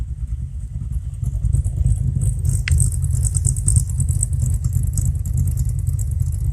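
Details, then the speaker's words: Warm Fox Body V8, mostly stock motor with a B cam, Flowmasters and chopped exhaust, idle fuel trims near zero, load 18–19%: a loping, slightly uneven idle with deep burble at steady speed. A normal lumpy cam idle. "it's a pretty much stock motor with a B cam guys when I hear it sounds a little lumpy to me but this is a like a B cam of flowmasters and chopped off exhaust the axle"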